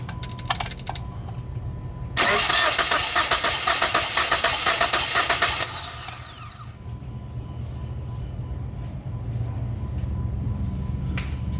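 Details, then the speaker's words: 2015 Jeep Patriot 2.4L with light idle misfire, compression test on cylinder 2 (non-misfiring): about four seconds of even starter cranking, steady rhythm, about 195 psi versus roughly 190 needed — normal compression. "looks like we got about 195 PSI on that cylinder which is good for this engine"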